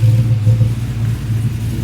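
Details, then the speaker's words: 5.3 LS-swapped Dodge Dakota at warm idle after installing a Motion Raceworks 92mm ICON throttle body, old O-ring was bad; owner is watching the IAC; deep steady rumble, no ticking, whistling or hunting, earlier noise gone; normal idle. "running pretty good running really good actually I think that that may have been a big problem"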